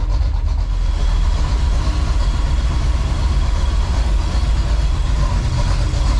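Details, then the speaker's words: 1984 Chevy Silverado with swapped-in 350 V8 warming up in cold weather, idling in gear; oil is fuel diluted. Deep, even burble with no knocks or stumbles. Normal idle in gear. "So let that 350 warm up, and then we'll move it in the shop. Sound too bad in gear."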